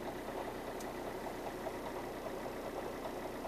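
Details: Alfa 159 JTDM Lusso diesel idling with the clutch released: a light, uneven chattering rattle, roughly two to three knocks a second. The rattle stops when the clutch pedal is pressed; exact cause not known.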